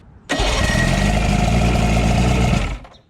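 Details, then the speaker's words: 1982 Glasstream boat's Chrysler 100hp outboard after fixing a loose neutral safety switch wire and setting distributor timing at top dead center: fires at once, runs quick and even, shuts off cleanly; runs without the stator for spark. "okay it runs again all right so it does not need the stator for spark"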